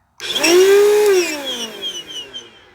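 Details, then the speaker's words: Korean-made Bissell CleanView Helix 82H1 vacuum, powered up for teardown: the motor howls with a harsh, high screech that climbs, sags and fades as it winds down; one of the worst-sounding motors heard. "so that's one of the worst sounding Motors um that that I've heard"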